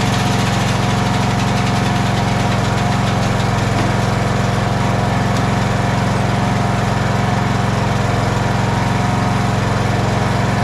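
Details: Craftsman LT1000 riding mower after blade deck belt replacement (AYP 144959): even, steady single-cylinder drone at constant speed with no misses, knocks or belt squeal; running properly.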